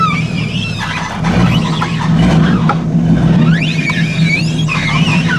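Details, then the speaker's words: 1989 full-size Chevy Blazer, one-ton swap with Dana 60 and 14 bolt, new GM hydro-boost brakes, power steering cap off: uneven chirping belt squeal over engine rumble when moving off; owner suspects belt struggling like a loose pump. "you can like a like the uh belt struggling like a loose pump let's go forward there it is you kind of hear it"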